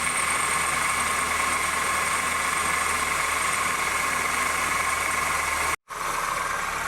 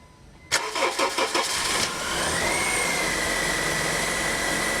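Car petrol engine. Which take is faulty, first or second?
first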